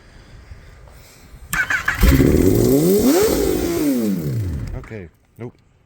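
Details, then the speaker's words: Rebuilt totaled 2018 Kawasaki ZX10-R: engine catches and flares straight to high revs on startup before dropping. Runaway high idle; owner plans to check the throttle position sensor. "nope yeah I'm not sure what's happening right so unfortunately it's still revving way up as soon as I turn it over so I'm going to have to check the throttle position sensor"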